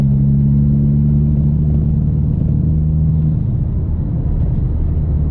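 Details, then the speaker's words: MK4 Golf GTI with Forge 008 diverter valve fitted; deep rumble under full throttle surges unevenly, juddering, staggering and hesitating with a flat spot instead of pulling cleanly. A sticking N75 boost control valve was not holding boost at high revs; replacing it fixed it. "this seems to be happening now when i accelerate the car completely judders and staggers and hesitates"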